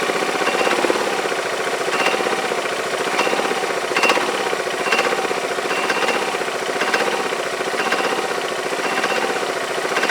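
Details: Yamaha Majesty scooter idling on the lift with the parking brake on: a sharp metallic clank about every half second over a steady idle. The owner suspects the CVT clutch, is unsure whether it is normal, and plans to inspect the clutch and shaft.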